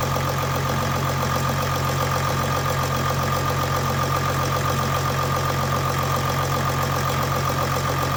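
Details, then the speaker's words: Mercedes OM642 diesel in a Jeep WK Grand Cherokee CRD, first start after replacing a worn timing chain tensioner that was bypassing oil: starts instantly, even steady clatter and smooth hum, no chain rattle or slap; normal idle. "WOW instant that's excellent that actually I thought it was going to sound way worse for a lot"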